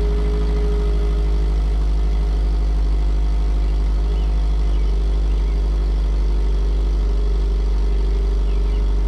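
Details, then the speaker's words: 2009 Subaru Outback with new stainless cat-back exhaust, third cold start after ECM reset via battery disconnect: low, even burble with steady rhythm, no knocks or rattles; smooth quiet idle that settles faster. "so it made only a small difference the engine settles down faster and gets quieter faster i'm satisfied with this"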